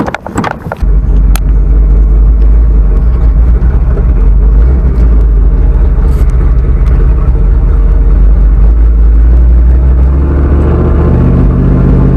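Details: Freshly rebuilt boosted V8 in black truck, after hydrolock from coolant in cylinders five and eight, street shakedown with good oil pressure; deep, strong, steady rumble, no knocks or ticks, healthy.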